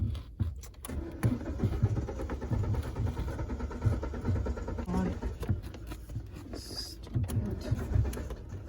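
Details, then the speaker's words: Car cranks in repeated starter bursts at an even pace while the driver tries to start it, but the engine never catches and runs: crank, no start. "I am getting late and this car is not getting started. Why it is cranking?"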